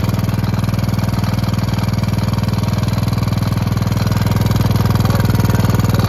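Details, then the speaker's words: Gravely Promaster 50 tractor, sitting two years, after filing the points and giving it a shot of fluid: steady single-cylinder thump at about four beats a second; stalled after about 150 feet from a loose clip inside the spark plug wire boot. "Got, you know, I don't know, 150 feet and it just stalled. I noticed that when I was putting the spark plug tester on there that the wire was loose, and that's what happened."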